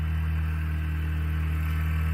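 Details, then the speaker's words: 2008 Dodge Caliber after alternator replacement: steady low idle hum, no dips or surges, while showing the engine should keep running off the alternator rather than the battery. Normal idle. "the motor should continue to run because it's supposed to be running off your alternator not your battery your batteries your backup"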